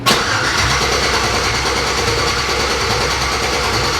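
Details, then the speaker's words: 1987 Chevy S10 with LS swap, open headers, first start after sitting, no mass airflow sensor fitted, O2 sensors plugged in and left on the hood: steady starter cranking with even churning rhythm but never catches; crank no start, not getting fuel. "you can tell it's not i'm not getting gas"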